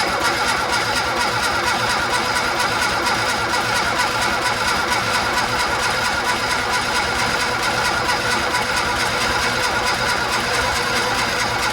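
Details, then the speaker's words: Barn-find Austin-Healey Sprite with twin carbs, chokes held during first-start attempts: even cranking of about two beats a second that never fires despite fuel and spark. Owner suspects low compression and adds oil to the cylinders. "okay we have fuel and spark so the thing we're missing is compression"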